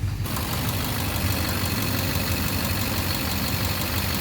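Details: 2009 Chevrolet Duramax LMM dually diesel, morning cold start at idle: loud steady rapid knock that persists when an injector is cut out, once mistaken for an exhaust leak; owner suspects injector knock or cracked flex-plate, unconfirmed.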